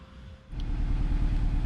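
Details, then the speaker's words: 2009 Nissan Versa 1.8L SL at idle: low, lumpy, uneven running like only three cylinders firing; intermittent cylinder 4 misfire code stored without check engine light, caused by a failed cylinder 4 coil pack. "So it began as an intermittent misfire, but you can hear it's sounds like it's only running on 3 cylinders right now."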